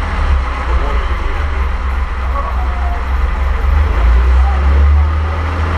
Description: The first start of the engine for the Avions Voisin C11 that is currently being restored in our workshop. This is a 1927, 2.3 litre, 6 cylinder, Sleeve valve engine.